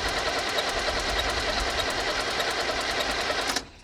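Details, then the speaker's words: 1978 International Scout II, Nissan SD33 diesel sat over 20 years, after about eight seconds of glow plugs; quick even cranking about three turns a second without firing; owner suspects too little fuel pressure to pop injectors, possibly injection pump. "yeah it's hard to say if we're even getting enough fuel into the injectors it might not even be enough pressure to pop them"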